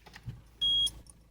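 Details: Citroen C5 diesel being jump-started in freezing winter: one short steady high-pitched beep over a quiet cabin as an engine immobilizer fault warning appears; owner suspects cold or summer diesel is confusing the ECU, not confirmed.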